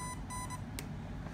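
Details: RC ESC fitted with a spark suppressor (47 ohm 2 W resistor), touched and then plugged in: a few short high beeps with only a faint tick at connection and no loud crack, powering up normally.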